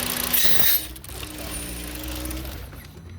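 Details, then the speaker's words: 2007 Volkswagen (Jetta/Passat) with misfire despite new plugs and coils: hiss, then rough idle sagging to stall when a crankcase ventilation hose is connected; smooths when hose is blocked, valve replaced. "Al conectar esa manguera, como pueden ver, el carro falla demasiado. Pero si la tapamos de nuevo con el dedo, ahí empareja."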